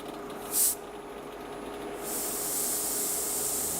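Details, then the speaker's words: Anycubic Photon M3 Plus resin printer auto-refill, air hose disconnected and held to the mic: short hiss burst, then a strong steady rush of pressurized air escaping; the pump bogs down when the hose is reconnected to the bottle. "wow there is a significant amount of air going through this wow this thing is pressurized oh yeah so just feeling how much maybe i can put it up to my mic there is quite a quite a bit of air coming out"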